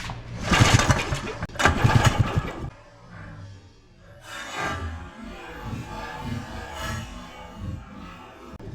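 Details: 1982 Honda Odyssey, spark confirmed, gas poured into the intake port: two short bursts of rough, low cranking then quieter handling noise, engine never fires; cranking, no start.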